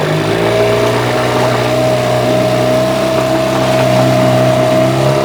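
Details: Yamaha 8C outboard bought from Japan, after a rebuild with sandblasted starter housing, flywheel and head and a new lower bearing: smooth even idle with a steady buzzing note, no knocks or rattles; healthy.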